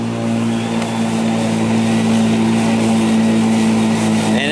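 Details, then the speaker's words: Black & Decker battery mower, third year, on a new replacement battery in self-propelled mode, cutting tall grass after nine days' growth: steady mid-pitched hum that never sags or hesitates; running strong and healthy. "not slowing down at all pretty tall grass and it's getting cutting up without any hesitation at all"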